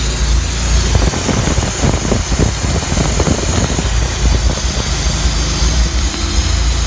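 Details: Chrysler Slant 6 with a loud, shaky idle and a constant airy hiss over the low engine thumping; large vacuum leak, source not yet found.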